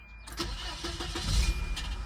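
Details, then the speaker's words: High-mileage 1994 Volvo 940 Turbo, which has a noise under load: slow, labored cranking with a short metallic clunk/clack at startup. Owner suspects the starter may be rubbing the flex plate, unconfirmed. "You notice there's that little that little clunk metallic clack. See right there? And there it was again. And you hear how slowly the the starter turns over."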